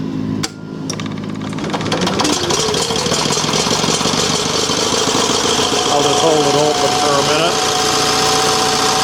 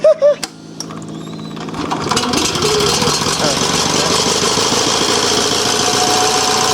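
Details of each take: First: Revived yard-sale Onan 305 CCK generator, freshly reassembled with a newly painted muffler, warming up: after a brief catch at startup it settles into a smooth, even drone with steady pitch and no knocks or misses; running healthy. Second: Onan 305 CCK 3500-watt yard-sale generator, warming up after revival: engine catches and settles into an uneven, lumpy beat around 160 a minute, pulsing rather than steady; running rough, cause not confirmed.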